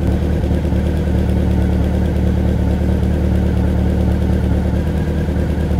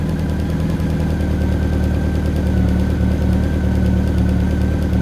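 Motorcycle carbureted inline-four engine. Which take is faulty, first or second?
first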